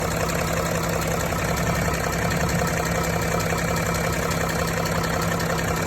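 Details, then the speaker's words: Range Rover / Range Rover Sport L405/L494 3.0 engine at idle: an uneven knock of just over one per second from the belt side, caused by a seized alternator overrunning clutch jerking the belt and vibrating the tensioner. "Итак, ребята, эта проблема, вибрация этого натяжителя, возникает из-за того, что обгонная муфта генератора, вот эта , заклинивает и перестает проскальзывать."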